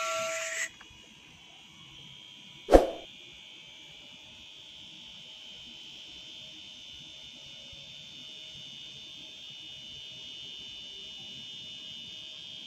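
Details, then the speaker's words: Refrigerator compressor pressure-tested with a manifold gauge on the discharge line, valve closed: a short beep and clack, then a steady even high hum; pressure reaches 500 PSI and beyond, so the compressor is healthy and still usable. "Oke, dia bisa mentok ke 500 PSI ya, bahkan lebih, menandakan bahwasanya untuk kompresor ini masih bagus ya untuk tekanannya, jadi masih layak digunakan."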